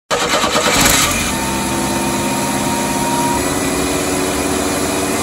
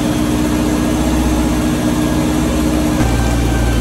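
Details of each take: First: 1986 Chevy S10 Blazer, 2.5L, recently revived: fast steady idle with a thin whistle that holds then drops; idle accelerating and running away, owner to check vacuum lines, TPS, MAP sensor and IAC, cause not yet confirmed. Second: 1986 Chevy S10 Blazer 2.5L after checking vacuum lines, TPS, MAP sensor and cleaning the IAC to fix a runaway idle: the engine idles steadily and evenly with a low hum; much better, though not yet perfect.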